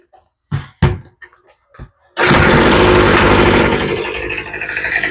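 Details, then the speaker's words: Troy-Bilt two-stroke leaf blower after carburetor replacement, with its spark plug now installed: a few pull-cord tugs, then it catches and settles into a steady high buzz with a slight surge; healthy normal running. "a little bit better with a spark plug. That sounds really good now that I've got a plug in it."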